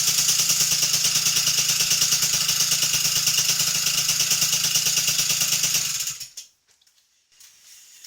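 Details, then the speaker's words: MBK 51 with Doppler liquid-cooled 50cc two-stroke kit (Artek crank), first start: cold start first try with choke after idle jet raised from 42 to 50, garage about 28°C, main jet not yet set; crisp regular popping at steady idle, runs cleanly. "Bon, ben impeccable. Du coup, elle démarre du premier coup à froid alors qu'avec le gicleur de ralenti à 42 là, plutôt, j'avais du 42."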